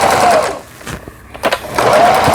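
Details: Kenmore 110V Taiwan-made sewing machine during repair, testing stitch-length settings with forward and reverse stitching. Short bursts of quick, even needle chatter with brief pauses between runs; stitches smoothly, no binding or clunking.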